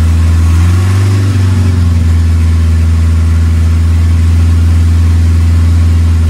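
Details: Smokey with a swapped 2.3L turbo Lima four on PIMPX batch-fire engine management, just started and warming up to check base timing: deep steady drone with a brief blip, settling to an even, smooth idle; normal idle.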